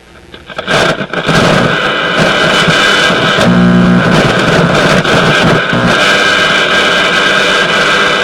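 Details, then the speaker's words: Motorola MK-56R five-tube AA5 radio after bad tube replaced: harsh scratchy crackle and hiss bursts over faint radio and hum, dirty volume control needing cleaning. "but now even with that hum we should be able to hear some radio some radio stuff well one thing we're hearing is a very dirty volume control"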